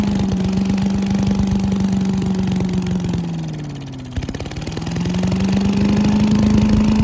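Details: Giant Vac leaf vacuum with a 1982 8 hp Briggs engine, started on a cold day after water was cleaned out: a steady, even run that dips briefly around four seconds, then picks back up smoothly with no misfire. Normal running.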